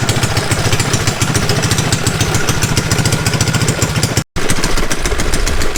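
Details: Mini bike small single-cylinder engine on a chilly day, after chain work. Fast, lumpy putter at three to four beats a second, holding steady: normal running.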